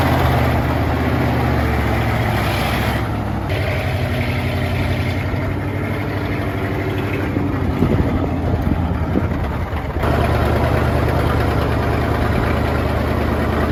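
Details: 1960s Ford F-750 dump truck, revived after not running, idling during dump bed operation. Deep, steady low rumble keeps an even idle while the load shifts slightly midway; the engine sounds healthy at rest.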